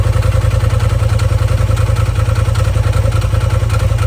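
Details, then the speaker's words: Polaris RZR XP Turbo, first start after installing a TPR valve cover, charge cooler, timing tensioner and full-flow kit: fires right up with no codes and holds a steady low idle of about 3.5 pulses a second, no misses or knocks. "And you might hear the fan kick on. Wow, fires right up. No codes."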